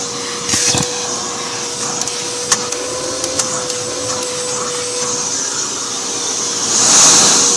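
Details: Older V H2O Turbo canister vacuum with four-speed motor, at higher speed setting: steady high-pitched motor whine with constant airy rush, smooth and even, no surging; normal running at high speed.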